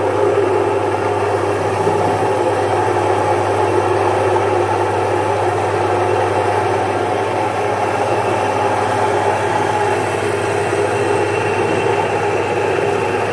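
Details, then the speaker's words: Domestic stone flour mill, single-phase 1 HP, grinding jowar into good-quality flour with the stones set tight. Even motor hum with a constant gritty stone rush, steady speed, no knocks or squeals; normal operation. "तर आपण पाहू शकता अतिशय चांगल्या क्वालिटीच दळण ज्वारीचं ह्या एक एचपी मॉडेल मी करून तुम्हाला दाखवलेलं आहे."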